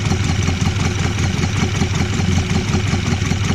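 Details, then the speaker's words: Mk1 Ford Escort with new bottom end and retarded cam, first run, thermostat just opening: loping, uneven idle with irregular low thumps, gulping; rough idle, owner suspects arcing spark plug lead and a vacuum leak. "She is still, she's popping every now and then. I think that could be to do with a spark plug as well, because I have got a spark plug lead that's arcing."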